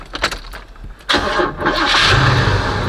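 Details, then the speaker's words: Oldsmobile Cutlass cold start at inspection, which it passed, with exhaust no longer smoking: quick crank, fires straight up and settles into a steady lopey idle that sounds like it has a cam, no misses; normal cold start. "straight up and that idle's good like I said it sound like it got a cam in it"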